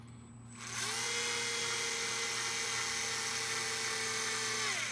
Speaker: Or as soon as I hear the motor take a little bit of strain, or the sound changes, that's when I stop.